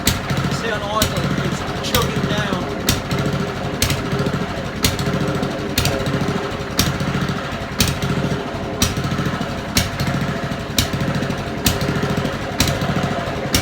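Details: Old Honda mower idling before carburettor cleaning: rough uneven idle with sagging bursts, surging and intermittently cutting out; dirt in idle jet and float chamber.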